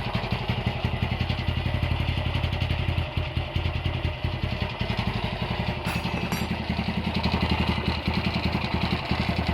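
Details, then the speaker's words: Honda GL100 (GLK 100) engine from Palembang, stock CDI, before restoration: an uneven idle with a loose, rattling clatter from the clutch side, suggesting the primary gear is working loose. The head is fairly quiet; the engine smokes and seeps oil underneath. "Ini kendalanya seperti yang tadi kita dengar, suaranya berisik di bagian kopling ya."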